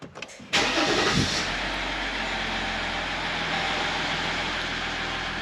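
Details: 2015 Jeep Grand Cherokee Limited EcoDiesel, 130,000 miles, started after oil, air filter and fuel filter service: short crank, instant catch, then steady clattery diesel idle with even pulses and no misses; healthy start and idle.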